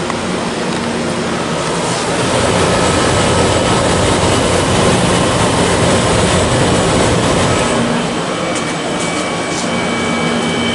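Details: 1993 Comfort-Aire window heat pump with reciprocating compressor, cool mode, recorded on an 81°F day: fan and compressor start with rushing airflow swelling into a steady hum, no rattles or knocks; normal startup.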